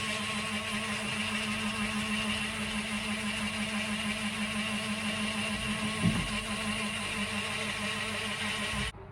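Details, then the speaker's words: Narrowboat bilge pump clearing water from the engine bay, run with the override switch on: a steady, low electric hum holds constant about nine seconds, then cuts off cleanly; the pump runs normally. "Sounds like it's trying to get a bit more out. It's hard to tell if that's working from here."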